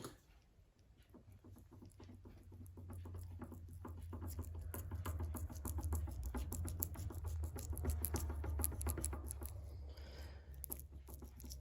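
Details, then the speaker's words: Triumph Spitfire 1500 rear hub assembly removed from the car and turned by hand: rough, uneven rumble with irregular knocks each turn; worn wheel bearings and universal joint, to be replaced, suspected cause of a knocking noise. "so that doesn't sound good to me in fact it sounds knackered yeah so um let's change the bearings and the universal joint"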